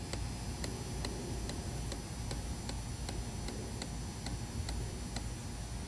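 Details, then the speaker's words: Fuel injector on bench test rig at about 45 psi, lag test starting at 700 microseconds pulse: crisp, even ticks a little over twice a second over a faint hum as the injector begins to open; normal clicking. "There's 1 point. I can start to hear it trying to open."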